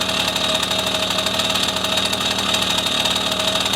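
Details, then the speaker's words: 1974 Honda MR50 small two-stroke after carb adjustment: fast, even, buzzy idle with no misses or surging, deliberately set slightly high so fuel isn't cut off on deceleration during the test ride; running cleanly, normal idle. "So that's where, I think that's where we're good for now. I'm going to leave this idle just a little high so that when we decelerate, while we're doing our test ride and we decelerate, that we're not just totally cutting off the fuel."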